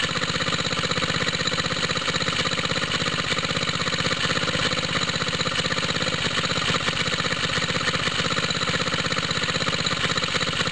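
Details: Water pump rig single-cylinder engine, cold start with choke on, straight 30-weight oil, new exhaust tip; smoke from side of head, owner thinks head gasket leaks: idle about three firings a second, slightly uneven with hissy edge; head gasket leak.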